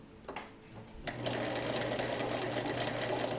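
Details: Vintage Viking 6690 sewing machine doing a straight stitch at 2.5 mm length, metric settings: a click, then a quick even patter of about four stitches a second over a smooth motor whir; normal stitching.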